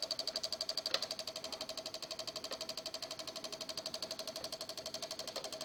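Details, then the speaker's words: Microsol NG2 voltage stabilizer (110–220 V input, 110 V output) powering a soldering iron, blinking LED; rapid even relay chatter about four per second over faint hum as output voltage oscillates, blamed on a faulty relay and swollen capacitor. "Mas aí ele fica com os relés, já caiu, ó. Então isso aqui danifica os aparelhos."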